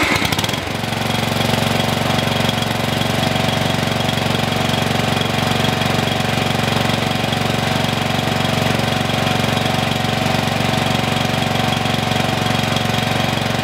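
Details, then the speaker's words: Mower single-cylinder engine that had been locked, freed by removing a small jammed piece, exhaust refitted: catches and settles into a steady, even thump with no misses; normal running. "that's it guys that's all I was is that one little tiny piece is what was stopping this from running"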